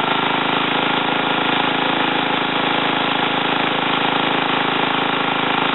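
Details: Ariens TA20A Trans-a-matic tiller after engine rebuild and plate clutch repair, carburetor untouched, started in about three pulls and evened out: small single settles into a smooth, even chug, steady beat, no misses or knocks; normal running.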